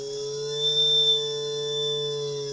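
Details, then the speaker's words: JUGS BP-3 3-wheel controller board 180-2406-0, tested after repair of a faulty motor output circuit, driving a non-original test motor fixed to a desk: after a start kick, a steady, even, clean electric whir with no surging. "Uh the motor has a terrible kick when it starts up."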